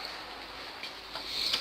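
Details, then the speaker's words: TV with its cover removed: a small relay on the power supply clicks repeatedly about every third of a second. The TV won't power on, gives no signal and no light. "e ela não liga pessoal mas ela fica batendo um relé Zinho que tem aqui na fonte e ela tem um relevo Então ela fica batendo ticket e não liga nada não dá sinal nenhum"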